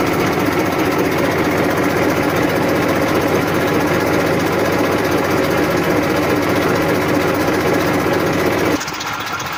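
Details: 1994 Massey Ferguson 1035 DI tractor diesel at idle: even, steady hum with a soft pulse about four times a second, no knocks or misses; normal, healthy idle.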